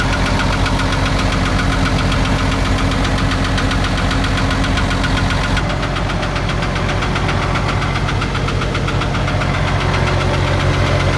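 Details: Isuzu 6BG1 diesel engine in a Hitachi excavator at steady idle with a regular heavy knock about two and a half per second over the drone; deep internal engine knocking.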